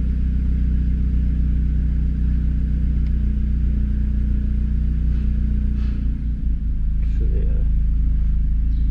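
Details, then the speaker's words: Seat Leon Cupra 2.0 TFSI at idle after repairing the cylinder 1 misfire (code P0301) by having the injectors serviced: a steady, even, smooth rumble with no stumble. No fault codes remain and the engine runs cleanly and normally. "Şimdi sorun çözüldü Tabii ayet araç gayet güzel çalışıyor Herhangi bir sıkıntı yok"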